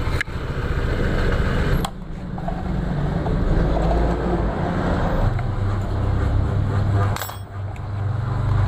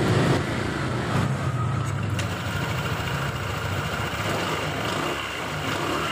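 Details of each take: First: 2021 Honda PCX 160 at idle with the CVT cover off: rough, low, uneven rattling clatter coming from the front pulley; loose roller housing cover. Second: 2021 Honda PCX 160 CVT after service, cleaned and shimmed with sandpaper strips with no parts replaced, runs with smooth even belt-drive hum; the front clacking on idle and sudden throttle is gone.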